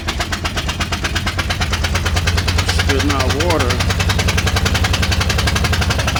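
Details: 2000 Ford Explorer Sport 2-door 2WD at idle: a fast, steady tapping of roughly ten knocks a second rattling over a low engine rumble, described as a strange noise.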